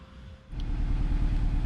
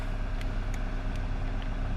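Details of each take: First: 2009 Nissan Versa 1.8L SL at idle: low, lumpy, uneven running like only three cylinders firing; intermittent cylinder 4 misfire code stored without check engine light, caused by a failed cylinder 4 coil pack. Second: 2009 Nissan Versa 1.8L SL, cold engine with high idle, after replacing a failed coil pack on cylinder 4 that caused misfire, shaking, stuttering and surging; now a steady, even idle with no missing or stumbles.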